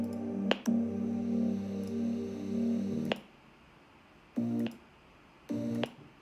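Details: MacBook Pro 16-inch speakers: music with sharp clicks on every playback timeline jump or stop, in any app at 44.1–96 kHz, unfixed by SMC/PRAM reset or macOS 10.15.1; cause unclear.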